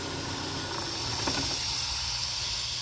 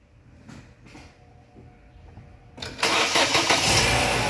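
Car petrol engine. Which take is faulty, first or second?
first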